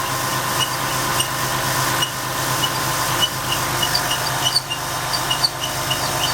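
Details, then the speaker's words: 2004 Ford F150 Heritage, 4.2 V6, idling with the fan removed: sharp chirps about twice a second from the belt drive. Owner suspects the replacement water pump, which has about 4,000 miles, not the viscous fan clutch. "yep there's a squeak oh my goodness there's definitely a sweet starting"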